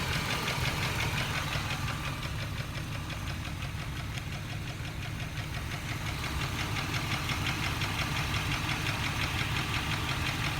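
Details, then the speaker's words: 2002 Jeep Grand Cherokee Laredo petrol engine idling: sharp regular ticking about three per second that gets louder when the throttle is pressed; owner unsure whether exhaust leak, lifter tick or rod knock. "when I press on the guys - gets louder I'm gonna leave my phone up here so you can hear it turn it this way all right hold on the press only guys to gets louder can't tell if it's an exhaust leak rod not lifted safer what"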